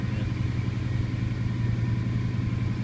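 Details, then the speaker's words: 1999 Subaru Forester with swapped 2002 WRX 2.0 turbo flat-four, WRX downpipe and cats, stock cat-back with muffler deleted: steady even low burble at idle, dips slightly then settles, runs smooth; normal idle. "in the vacuum it goes down a little bit but idle settles out it runs smooth"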